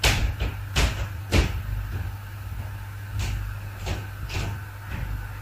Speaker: so dynamic live loads like people walking across the floor system can create not only creaking sounds but also snapping and popping sounds and here's a recording of what that might sound like